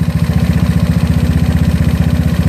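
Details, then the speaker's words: GY6 scooter with OKO PWK 30mm carburetor, mixture screw turned richer: fast, steady pulsing at a raised idle, racing instead of settling; idle speed too high for a stoplight. "yeah I hear the engine being aggressive again which is good thing when you want to celebrate but not when you want to idle stop light"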